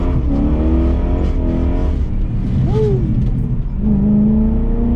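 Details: BMW E34 540i, M60B40 V8, after fixing throttle body gasket vacuum leak causing lambda codes and limp mode: engine pulls cleanly, pitch climbing smoothly, no stumble or hesitation; strong healthy acceleration.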